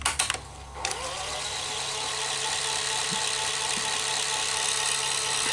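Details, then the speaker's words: Sony SL-HF900 Betamax reel motor running in reverse: steady, even whir after handling clicks, no grinding. It sounds wrong only in forward; capstan or motor failure is suspected. Normal reel motor running. "it sounds fine when it's in reverse but going forward you can hear it"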